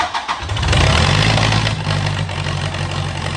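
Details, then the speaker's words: Swinger 3000 diesel during exhaust manifold and muffler repair, run with no muffler fitted; fires up into a harsh, very loud blatting idle on the bare manifold; loud open exhaust. "Let's fire it up and see what happens. It's going to be loud as all get out."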